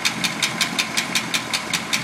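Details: Packard engine idling steadily with a sharp, light tick about five times a second, even and unchanging; valvetrain ticking, possibly a lifter.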